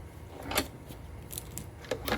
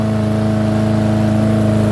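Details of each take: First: Yard Machine mower left outside in rain, sand in the carburetor and bad primer bulb; runs on fresh fuel after carb cleaning. It revs in uneven bursts and hunts; the carburetor housing is judged damaged and needing replacement. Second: Yard Machine lawnmower, left out in rain, with sand in the carburetor and a bad primer bulb, running about 30 minutes with a new filter and cover: steady, even drone, no surging.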